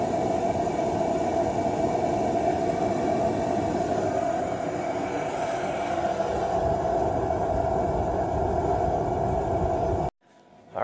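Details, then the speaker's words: DeWalt cordless forced-air propane heater set to high in garage: loud, steady roar of burner and blower with constant mid-pitched hum holding even until shut-off; normal operation. "this is your igniter to get it started and then turning it all the way down this way is low if I turn it all the way left it is high are you ready to let the big dog eat"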